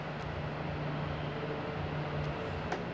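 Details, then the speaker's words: Arno Silence Force 40 cm fan, 220 V 60 Hz, previously seized and only humming, after cleaning and lubrication on mains: quiet even motor hum, no rattles or scraping; runs normally, capacitor apparently not needing replacement. "vou ligar na nossa rede 220 direto para vocês ver a potência desse aparelho eu acho que não está precisando de trocar capacitor nós estamos forte e chega ele levanta super silencioso gente olha aí"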